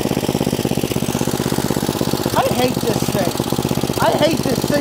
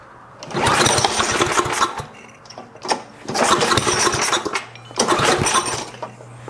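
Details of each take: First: 1972 John Deere 56 mower with swapped-in engine, seals redone and carburetor cleaned, air filter off: loose uneven single-cylinder chugging with throttle bursts while driving; running rich, carburetor dumping fuel despite rebuilt seals and checked vents and valves. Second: 1972 John Deere 56 mower with swapped single-cylinder engine, third start attempt after repairs: catches after a pull and runs in ragged bursts with brief dips; fires and stays alive.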